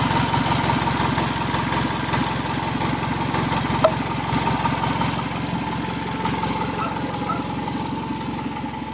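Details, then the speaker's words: 2003 Toyota Camry, first start after an engine swap, at idle. A loud chuff on every pulse, about three a second. It is all exhaust noise from a leaking flex coupler; the motor itself is quiet, with no valve noise and no knock. "but the noise that you're hearing in the video is the leak at this at this blessed coupler right here this is all exhaust noise that motor is really really quiet there is no valve noise and there's no knock"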